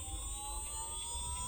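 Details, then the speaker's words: Oriental Motor gear motor with a 20:1 gear head driving a direct-drive belt conveyor, turned up to full speed of 125 ft per minute: quiet, steady whir with clean, constant gear whine, no rattles or grinding. Running normally. "If I turn this up to full speed, you'll see that it'll go all the way up to 125 ft per minute."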